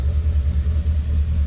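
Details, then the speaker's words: 1932 Ford Roadster street rod, 239 cu in flathead V8, Edelbrock heads, Fenton intake, odometer 3,336: low steady even rumble, soft regular pulse, no ticking or knocking after cold start; normal cold idle, good oil pressure. "that was a cold start so this flat is running good even cold"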